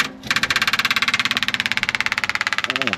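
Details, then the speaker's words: 1979 Chevrolet C20 camper special with a 454 big-block, sitting about 13 years, first start attempts after charging the battery: it runs rough and lumpy, cutting in and out, with one cylinder not firing; a misfire. "that sounds awful I don't know if that thing's working or not let's give it another spin starting to come around got one cylinder that's not firing but sometimes she's running though"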